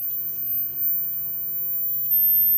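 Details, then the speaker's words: Ebay DC high-voltage generator (15 kV ignitor) kit on 3.4 V bench supply with adjustable copper-wire spark gap: very quiet steady high-pitched oscillation whine over low hum; oscillating normally, but gap likely too wide to spark. "can hear it's making a noise, so it's oscillating, but perhaps the gap is a little bit too wide."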